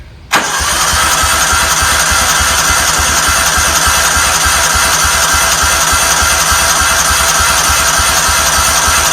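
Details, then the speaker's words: 1994 Cub Cadet HDS2135 riding mower, unused about 10 years, fuel flowing through the filter, choke on: steady fast starter churn for nine seconds with no firing. Owner thinks the fuel system needs priming and suspects the unchecked carburetor. "it might take a while to Prime this fuel system we'll see I mean obviously we just had fuel coming out but it might crank for a little bit"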